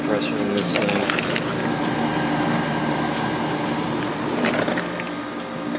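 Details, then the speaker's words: Whirlpool Accudry 40-pint dehumidifier, late-1990s or early-2000s, reciprocating compressor, on high fan at about 6.5 amps: steady even hum and smooth airflow rush, no rattles; condenser and evaporator clean; normal running. "and plenty of air flow through the condenser so that's still clean"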